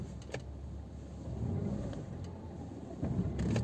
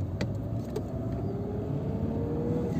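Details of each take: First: Peugeot 206 1.4 (2011/2005) or 207 (2009) pulling away in first after fully depressing the clutch: low rumble with sharp clunks from the driveshaft cross-joint (istavroz); workaround is pressing the clutch only partway. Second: Peugeot 206/207 1.4 that knocked when pulling away in gear, fixed without replacing parts by pressing the clutch pedal further: smooth, even engine rumble on pull-away with no clunk as the clutch bites.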